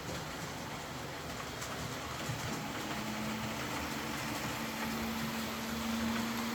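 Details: Old Hornby R751 Class 37 model locomotive after repair, wheels cleaned of corrosion with a rotary tool and brass brush, body refitted, on track: light, even motor hum with steady wheel and track rumble, no stutter or surging; normal running.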